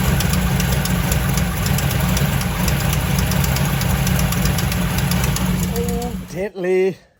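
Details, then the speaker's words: Turbocharged V8 truck not started in a while, 88°F shop, not a cold start: rough, loud idle with faint, uneven ticking about four per second, from a remaining exhaust header leak on the driver's side. "I don't know if y'all noticed when I fired it up earlier we still had a header leak"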